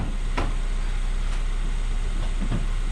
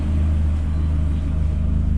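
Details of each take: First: Astra H VXR (K04 turbo, billet hybrid core replaced) starting and idling, then a loud hissing chuff near the end as the downpipe clamp blows exhaust, as the owner expected; re-fitting the clamp stopped it. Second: Astra H VXR after K04 turbo core replacement with a billet hybrid core, warm steady idle with no whistles, rattles or grinding, turbo spinning freely, no leaks and no smoke at idle.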